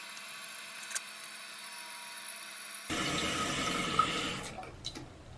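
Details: Toilet after fill valve and shutoff valve repair, with the float raised about an inch: a quiet trickle, then a sudden rush of water fading into a gurgle as the tank refills normally during a test flush.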